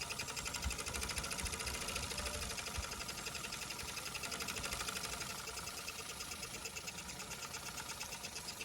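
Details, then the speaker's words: Mamod Steam Wagon: soft, quick, even chuffing at about three beats a second that keeps a steady pace without faltering at low pressure. Normal running. "there it's probably going to die no it's not look how nice that is"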